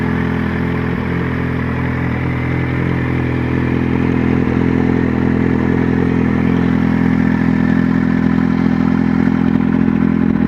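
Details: Motorcycle idling: steady light clattering tick, about three a second, that sounds like valve noise but is an exhaust manifold/header leak, often appearing after fitting a sports exhaust; a simple fix.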